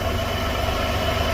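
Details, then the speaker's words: Car brought in for an oil change, idling with a consistent cylinder 2 misfire: low lumpy uneven idle; injector shows no control, suspected open wire or dead driver. "we're misfiring on cylinder 2 pretty consistently it's definitely misfiring"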